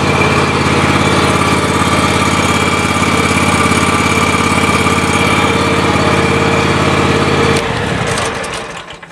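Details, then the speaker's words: Grasshopper mower small engine after temporary repair of failed fuel shutoff solenoid: catches and runs smooth and even at steady pitch several seconds, then shuts down; normal running. "okay that was a miracle fix anyway so we'll run it that way this summer"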